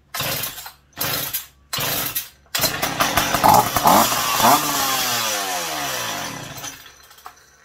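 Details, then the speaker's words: McCulloch PM700 chainsaw, first run in 20 years, with a new welded expansion chamber and silencer fitted: loud, crisp two-stroke blips that climb quickly and fall cleanly, no sputter and no leaks at the welds. Healthy revving with good pep. "but wow it's got some pep to it but it uh it's not leaking around any of my welds so that's awesome"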